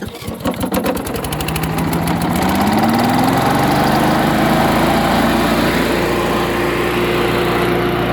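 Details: Chipper/shredder small engine after new fuel and carburetor cleaning, spark plug light brown: revs up and settles into a strong, even drone with no misses, running healthy.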